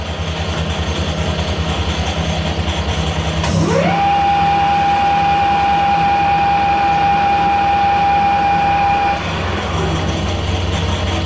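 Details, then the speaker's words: Harrison L6 12-inch swing lathe running at 1,000 RPM: light, loose rattle from a clutch plate with elongated pin holes. Clutch brakes, but weakly; springs on the pins are planned as the fix. "Now that rattle you can hear, one of the plates is got elongated holes, so it's rattling. So that rattling is this plate. Just rattling."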